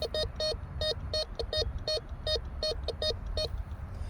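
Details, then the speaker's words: Bounty Hunter Tracker IV metal detector in tone mode over a silver quarter: about a dozen short, clear high-pitched beeps in quick bursts, a high tone indicating a high-conductor target. "Now the silver quarter with the Tracker 4 in tone mode. You notice the Tracker 4 gave us a high tone, telling us that there is a high conductor."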